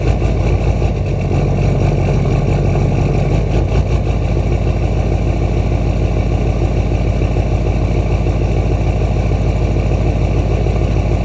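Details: LMM Duramax diesel cold start after sitting overnight, 65°F+ ambient: deep, slightly uneven rough idle for the first minute before settling; fuel rail pressure 5.7–5.9 kpsi, unchanged; DPF deleted, EGR on, Minimaxx tuner, 4-inch straight pipe.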